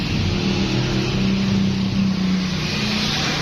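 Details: 2000 Honda City that cranked but wouldn't start, after broken earth wires were repaired: steady, even idle with a low, smooth hum, no misses or knocks; the engine now idles normally.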